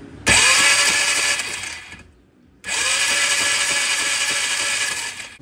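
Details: 2003 Polaris Trail Boss 330 ATV, fuel full, new air filter, neutral held while cranking: two spells of high starter whine, engine turning steadily but never firing; no spark.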